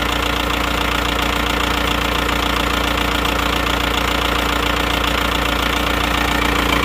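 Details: Diesel engine after repair of a snapped crankshaft blamed on over-adjusted injection pump, block and original crank still good; steady even diesel clatter at idle with firm regular beat, no knocks or misses; normal idle.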